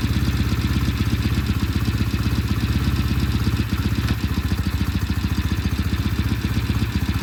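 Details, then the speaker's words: Restored vintage British motorcycle, first start in shop after completion, warming up: steady low thumping fast idle, firing evenly with no knocks or clatter, running sweetly. "fires here and sounds good we'll take it outside and do a test ride"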